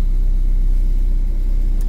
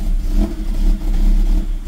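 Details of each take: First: Car running on unlock (immobilizer-delete) ECU after adjustment, with a previously fitted idle motor possibly faulty: steady deep rumble, even beat, no stumble or hunting, idle slightly high; A/C switched on without stalling; AFR where it should be; normal idle. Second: Car fitted with a swapped immobilizer-delete (unlock) ECU, fuel pump sounding fine: revs rise and sag unevenly about every half second, never settling, won't hold idle; owner suspects software mismatch from the car's eccentric (cam) mod, unconfirmed.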